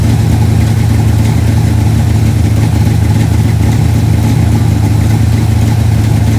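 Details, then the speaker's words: 1968 Dodge Dart GTS pro-street V8 with tunnel ram, first cold start of season: loud idle with slightly uneven thump about three times a second; mild misfire from a plug wire fallen off the distributor. "i knew something wasn't right i could hear it missing a little bit we got one plug wire that fell off the distributor"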